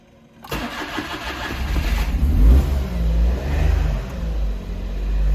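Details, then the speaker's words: Smart Fortwo in the cold, 15 degrees overnight, with a faulty engine coolant temperature sensor and a cylinder 1 misfire; catches with the gas pedal pressed, burst then uneven low idle; hard starting. "for some reason it will start at times if i push down the pedal"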